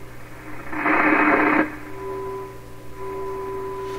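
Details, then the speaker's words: 1928 RCA Victor Model 28V radio run on reduced supply of about 90–100 V before tune-up: steady whistle under noisy reception, two close carriers (a station and a signal generator) beating; heterodyne. "that that sound it sounds like two things at once it sounds like two stations two carriers close together and one of them is an actual radio station"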